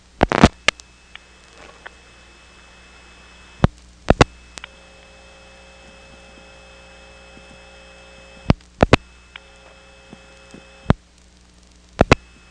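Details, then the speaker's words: 1977 Elizabeth City NC step-by-step system, dropping the director and dialing 6 for Elizabeth City Tandem, then 3 for the 771 office. After dial clicks, a steady low hum with whiny overtones comes on from the hummy tandem trunks before the ringing number is dialed. "We'll drop the director, dial 6 for Elizabeth City, 3 for the 771 office, at which point you'll hear this hum come on, and then 3 digits for a ringing number."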